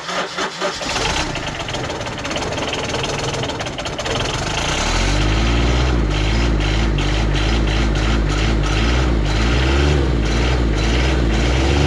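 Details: John Deere Gator 850D diesel, after fixing a no-crank fault traced to the starter relay and neutral safety switch at the transmission: starter cranks briefly, engine catches and settles into steady even diesel clatter at idle, no misses or knocks.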